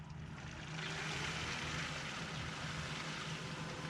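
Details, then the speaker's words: BMW E87 130i N52 engine after water pump and thermostat replacement, ignition position 1, engine not running, accelerator held 10 s to self-bleed: low steady electric pump hum under soft gurgling hiss, air bubbles reaching expansion tank; normal bleeding. "we press and hold down the accelerator pedal for 10 seconds, what that'll do is it'll start the electric water pump and that'll start self-bleeding the system. If we come round into the engine bay here and have a listen, you can hear it doing its thing. You can hear them bubbles coming up to the expansion tank there."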